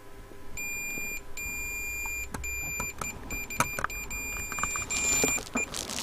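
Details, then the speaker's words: Hacker Autocrat RP33 radio tuning capacitor checked with a continuity meter: high, thin beeps cutting in and out irregularly as the vanes move; plates touching at the top and shorting. "I was trying to get the meter, but I'll leave the meter out of the shot because you can hear it when it's shorting."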